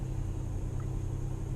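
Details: 2013 Chrysler 200 with sporadic no-start/no-crank, after adding an extra 4-gauge ground wire and reconnecting the battery: low steady idle rumble with no stumbles or ticks; normal idle, fix still unconfirmed.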